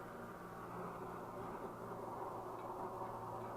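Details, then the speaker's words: Swedish Optimus 8R camping stove heating up after the cap seal was replaced and it was cleaned out; steady, full roar with no sputtering or pulsing; the new seal holds and it sounds as it should, normal burner roar. "That's how it's supposed to sound. Big Dan, you're a genius. Look at that sucker roar."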